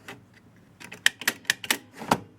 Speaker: let's check the score real and it works